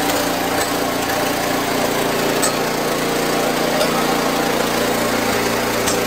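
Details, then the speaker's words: Snowblower with an electric start, refilled with new gas in late September after pre-season checks (oil level good), started with fuel on, now a small single-cylinder engine running steady and even with no misses, surging or knocks; normal running. "I'm going to let this run a little bit and then we're all set to go for the season yay oh"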